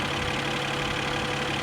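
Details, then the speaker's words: 2020 Mercedes-Benz E53 AMG 4Matic+ inline six (not a V8) idling: smooth, steady low hum, no knocking or stumbling; sounds unusual to the speaker but healthy. "this does not sound like a V8 ah it's not it's not it's at uh it's at six cylinder again it's an inline six"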